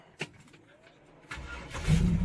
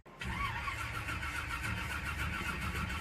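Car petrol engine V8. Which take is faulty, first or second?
second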